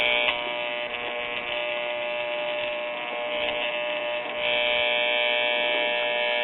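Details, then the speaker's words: RCA Victor model 96T4 1939 tube radio before the antenna is connected. A loud, steady raspy buzz comes from the speaker with no program. "Let's see what we got on our filter capacitor. Alright, I'm hearing racket from the speaker, so that tells us that something's going on."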